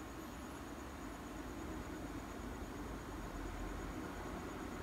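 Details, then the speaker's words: Scythe Slipstream 1600 RPM case fan with many thin, steep-angled blades, at medium speed; soft, even rush of wind noise with no ticking, rattle or bearing whine; normal fan airflow noise. "so but at this point you can start to hear the wind noise but it's nothing knowing is just wind noise and the airflow is quite a lot already at the speed"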